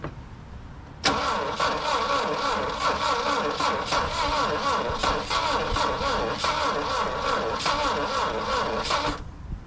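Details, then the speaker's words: Saab Sonett III, first start after sitting since 2012, plug gaps reduced for weak ignition: steady cranking with a few uneven catches as two cylinders fire, never runs; partial firing while cranking. "she just not going to go almost wanting to go you know like almost I saw I heard two cylinders fire that time"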